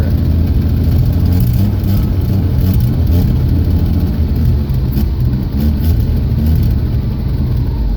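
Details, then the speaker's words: 1979 Jeep CJ5 AMC 258 inline-six that only runs on choke: steady but uneven deep low rumble with no clean settled idle. Owner suspects a dirty carburetor and possibly a bad intake gasket causing a vacuum leak. "I've had to change the engine gasket out on these before that was running just about like this because it wasn't full enough vacuum to pull the gas in there"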